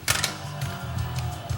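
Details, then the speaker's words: Rotel RCC940 5-disc CD changer with the top off, which the owner says plays fine at first then skips as the disc plays out: music stutters with sharp clicks and jumps. "It's already skipping. So we have a skipping problem on this one."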